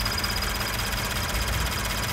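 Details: Toyota GT86 with Subaru FA20 engine at idle: rapid, light, even cricket-like ticking from the camshaft-driven high pressure fuel pump feeding the direct injectors, attributed to high-alcohol fuel (Shell V-Power Nitro+) leaving a pump metal washer poorly lubricated.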